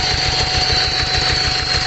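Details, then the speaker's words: 2004 Hyundai Santa Fe Gold with low power and stalling: lumpy, uneven idle with a missing beat, engine shaking; pulling injector #1 changes the sound but pulling injector #4 changes nothing, so that cylinder is dead. Dead cylinder misfire. "at nakikita naman natin na ang makina ay talagang nanginginig"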